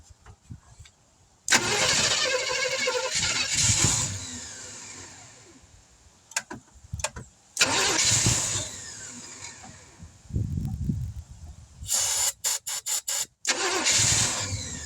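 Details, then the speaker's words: 1971 Chevrolet C10 after sitting for decades, outdoors in cold weather, replacement distributor roughly set, a little fuel poured in, no fuel pump: each crank catches with a short burst of firing, then dies within seconds. Owner guesses not enough fuel. "Whoops. She acts like she wants to run, so I guess we got a few things in here going for us. Oh, my guess is not enough fuel."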